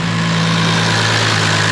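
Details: Toyota 2JZ engine after a component that was not torqued from factory was retightened: steady, even idle hum with no quacking or chatter; normal idle, much quieter than before.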